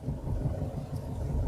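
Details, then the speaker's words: Manual-gearbox pickup truck driven at low speed in 3rd gear: a deep, labouring rumble with a dull rapid knock. The engine lugs in too high a gear, pulls poorly, and feels close to stalling. "ได้ยินมั้ยค่ะกึกๆๆๆๆๆๆค่ะเนี่ยๆๆๆแล้วมันจะไม่ค่อยไปอือืแล้วพอมาอย่างเงี้ยพี่จะกังวลกับมันว่าจะดับมั้ย"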